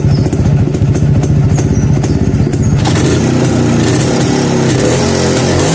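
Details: Neglected Yezdi B Model two-stroke single, first start after about nine months parked: catches with a few sharp pops, then settles into a steady, even idle beat over a low exhaust drone; normal idle.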